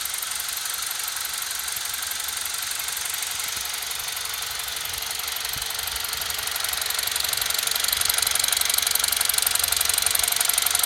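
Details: BMW E46 318i, N46B20A petrol four-cylinder, idling, heard near the intake: light, steady tick about three a second. The crankcase ventilation (CCV) valve is suspected. It also has high oil consumption and blue exhaust smoke at idle; the tick is not noticeable when driving.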